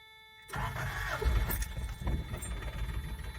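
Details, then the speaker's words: 1990 Toyota 4Runner 22RE, about 250K miles, cold start days after being limped home: catches and stumbles into a lumpy, irregular low thumping idle, running on only two cylinders; cause undetermined. "whoa that does not sound good guys N Video doesn't do it justice at all"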